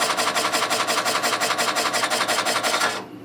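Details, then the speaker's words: NuXT retro PC after a power supply swap, 5.25-inch floppy drive seeking: a rough scraping rasp pulsing about three times a second, then stopping abruptly. It was not doing this before; the drive is suspected to be riding up on something and does not seem to work. "okay well I can guarantee you it wasn't doing that before it might be doing that because it's riding up on something yeah that doesn't seem like it's working in fact that's actually even worse than the other drive"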